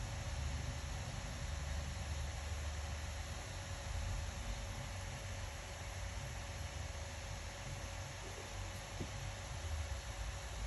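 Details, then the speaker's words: Acer Predator Helios 300 laptop after the overheating fix: steady, even airy hiss with a faint constant hum as the fan holds well below 6,000 rpm, sounding healthy and smooth. "if it stays into this range below six thousand it means the problem is inside it won't heat up anymore it won't make any noise"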